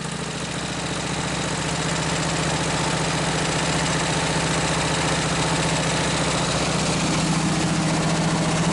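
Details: Hot rod go-cart, small engine with exhaust pipe ending just in front of the rear end, no muffler yet fitted: loud, harsh, rapid popping beat around 220 per minute, steady at idle; very loud open exhaust.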